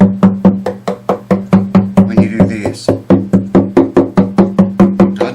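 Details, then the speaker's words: Epiphone FT130 acoustic guitar after 40 years of dust blown out, strings damped with foam, tapped around the body including the lower bout: even, clean knocks with quick decay and no rattle or buzz. Healthy tap test, no loose braces. "And I'm not hearing it now. It's a good guitar. I'm convinced of it."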